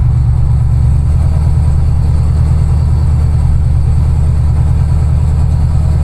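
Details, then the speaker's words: Dodge Dakota pickup, cruising on first drive after new rear gear set fitted: steady exhaust drone and road rumble, no gear whine; diff quiet, gear noise gone, set still needs break-in. "but gear noise is gone we just have to drive like a granny for a while to let this gear set break in actually sounds good"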